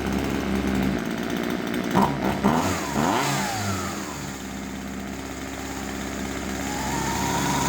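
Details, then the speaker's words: Husqvarna 136 chainsaw, warm, after carburettor adjustment (high then low screw): a couple of throttle blips, then a steady buzzing idle; idle speed judged okay, chain must not turn at idle. "Sänkte jag den. Jag tycker att det är varvhållet okej. Eller tomgången."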